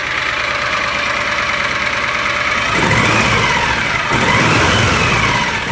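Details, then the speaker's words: John Deere Gator 625i UTV after installing the DIY welded auxiliary muffler; steady muted idle rising into two short, smooth revs with a soft, subdued exhaust note and no rasp or drone, idle reading stabilizing around 82. "So there you guys go. We have installed our DIY weld together stealth kit, our quiet auxiliary muffler for the Gator."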